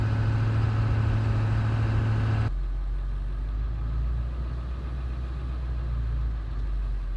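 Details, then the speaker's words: 1999 Ford F250 7.3 Powerstroke diesel, 117,000 miles: deep, even diesel clatter at idle with steady low rumble, no odd knocks; running normally. "so you guys heard it run sounds good it's the 7/3 way you expect"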